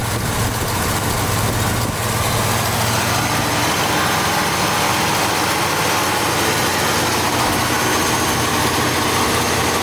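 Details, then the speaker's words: 1980 Buick Riviera during valve gasket work, which kept dying out, possibly when not warm enough, and needs a new battery: steady, slightly fast idle with a smooth drone and no stumble here; stalling cause unknown. "we got to start it but i guess it's kind of kept dying out"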